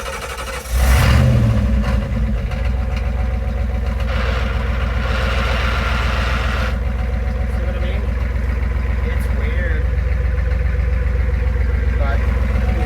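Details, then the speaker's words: 1986 Ford service truck, 7.3 IDI diesel, after fitting straight-pipe true dual exhaust: steady, even idle clatter with a light rattle, no misses or knocks, quieter, no smoke; glow plugs make it hard starting. Normal idle. "it's a lot quieter. Sounds pretty good. I don't see any smoke."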